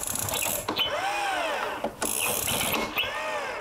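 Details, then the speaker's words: Stihl BR450C two-stroke leaf blower, almost new, electric-start model, won't start: three rising and falling ratchety whirs from the starter mechanism, one with each cord pull, electric start not in use; no firing, cause of the noise unclear. "El devanado hace ruido aquí, es la función de arranque eléctrico, aunque no la estoy usando."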